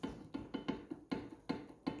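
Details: Renault Sandero front suspension raised, no play in ball joints, arms or steering rack: sharp hollow clunks at each stroke from play in the front shock absorber rod, the cause of the heavy knocking while driving.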